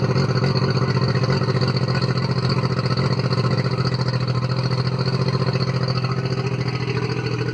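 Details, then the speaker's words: Circa-1999 Mercury 40 hp four-stroke three-carb outboard, formerly rough-idling after sitting, after carb sync with CarbTune Pro: steady, even low idle with a regular pulse, slightly fast, no misses or stumbles; running smoothly. "I think I'm going to have to take it out for a spin and see how it goes, but I think it's running a lot better."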